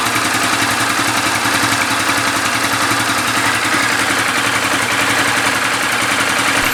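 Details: Yamaha New Vixion single-cylinder motorcycle after replacing the cylinder block and piston damaged by running low on oil: steady idle with an even tick, no knock or clatter; healthy.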